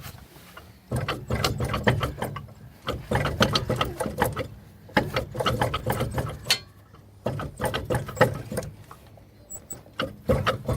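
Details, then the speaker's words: 2004 Buick, driver's side front wheel: bursts of rapid scraping clicks as the wheel turns, metal rubbing the rotor because a brake pad is missing; a brake dust shield rub had been suspected. "looks like the brakes rubbing a little bit looks like there's no brake pad"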